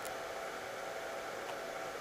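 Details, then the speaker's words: Cellpro PowerLab 8 charger during 30 A regenerative discharge of lithium EV cells to 2.5 V for bottom balancing: its cooling fan comes on with a steady, even airy whoosh; normal fan operation. "then it starts discharging in a few moments after it starts discharging the fan comes on and you can hear the fan come"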